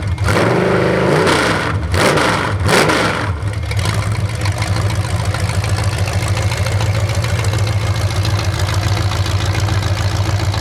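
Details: 427 big-block Chevy V8 on an engine run stand, first fire after sitting a long time; distributor timing adjusted, possibly the wrong way. Loud open-pipe revs settle into steady lumpy but even idle, no knocks or misses; normal idle and revving.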